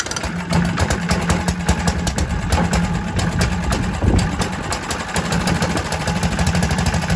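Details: Kohler K91 single-cylinder engine, first start in six years after freeing a stuck carburetor float and rigging an exhaust in place of the rotten old one. Crisp, evenly spaced firing at a steady idle with no misses or knocks; runs lovely.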